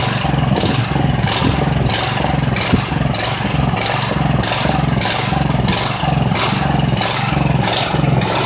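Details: Ridgid generator with Honda GX390 engine, first run after months idle and some repairs: engine speed surges and sags in a steady cycle about twice a second instead of holding even; governor hunting, cause unconfirmed.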